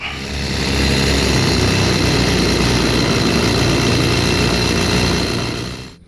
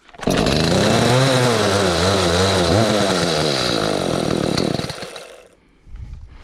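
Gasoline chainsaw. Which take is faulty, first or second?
second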